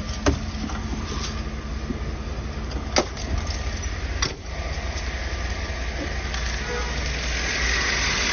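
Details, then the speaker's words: 2012 Chevrolet Tahoe petrol engine at idle, warm, after oil pump replacement (it had a weak pump and a faulty oil pressure sensor): quiet, even idle with a steady low hum and no lifter tick, only a few stray clicks; normal healthy idle. "وهذه الماكينه شغاله 100% ولا صوت ولا شي ما شاء الله"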